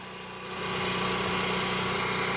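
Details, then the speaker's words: Onan MicroQuiet 4000 RV generator under load, heard outside: brief rise then steady, even drone with no surging up and down; what it should sound like. Normal running under load. "That's what it should sound like right there."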